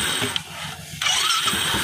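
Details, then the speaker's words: Royal Enfield Electra 350 after the starter bearing was replaced; the starter had spun without turning the engine. The starter now cranks the engine firmly with even low pulses and no free-spinning whir; the pinion engages properly. "देखिए अब यहां self proper run कर रहा है pinion देख रहे हैं आप यहां पे मिनिमम बिल्कुल नहीं फुल सेल्फ स्टार्ट हो रहा है"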